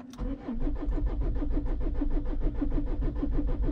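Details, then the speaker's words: Renault Espace 3 2.2 dCi, suspected head gasket failure with 12 L of oil in the engine, battery possibly weak: starter turns engine over steadily but sluggishly, about three compressions a second, never catches; cranking, no start, cause unconfirmed. "c'est comment ok ça démarre pas je sais pourquoi je crois à savoir c'est parce que non j'ai pas d'hypothèse"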